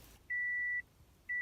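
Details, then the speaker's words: Manual car, clutch pressed, key turned: two long steady high warning beeps about a second apart, no cranking, car does not start. Same problem as when the battery was changed; owner suspects fried wires, not confirmed. "now watch what happens doesn't start the car at all car does not start"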